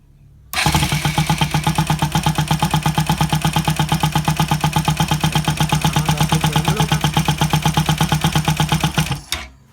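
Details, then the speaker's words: Bajaj Rouser NS200 checked for engine noise after spark plugs refitted and oil flow confirmed: catches within a second, even steady idle near three pulses a second, no misses or knocks; noise only from missing cover, normal idle. "el servido que se escucha es porque no tiene la tapa pero la verdad que está perfecto"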